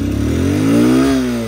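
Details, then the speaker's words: Honda CB200X left unused about a month with a flat battery: short strained rev swelling and sagging without clearing, barely picks up, sounds ready to stall, weak revving. "बल्ल बल्ल start हुन्छ हो of भैहाल्छ। Race ग race पनि लिनु मान्दैन यी।"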